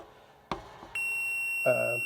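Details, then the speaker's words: Fluke meter continuity test of new Samsung dryer heating element parts after old element found broken open; steady high-pitched beep after probe clicks, normal continuity tone (open circuit shows overload). "when you have an open circuit you have an overload symbol like that when you have continuity you'll hear the beep"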